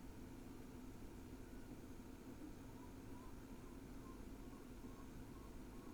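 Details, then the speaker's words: NAS with four Kingston SSDs in RAID 5, idling at about 19–20 W: only a soft, steady fan hum with a faint low tone and no clicks or seeks, normal quiet idle. "when it came to noise levels when in idle well I'll let it speak for itself"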